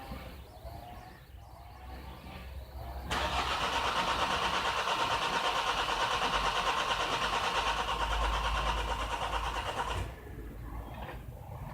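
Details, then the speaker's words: 2011 Nissan X-Trail common-rail diesel (dCi) with a hard-start complaint: the starter churns at about three even beats a second for seven seconds and never catches. Rail pressure reads about 101 millibars, but the ECU appears unhappy with it and isn't commanding the injectors. Cause suspected, not confirmed. "what I can tell you the computer is not happy with your pressure enough begin commanding will injectors beyond"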